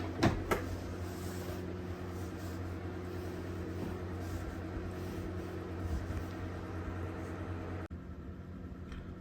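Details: VAZ 21099/2115 trunk lid clicks open and thumps shut over a steady engine hum, with no squeak after lubricating the hinge axles and nuts.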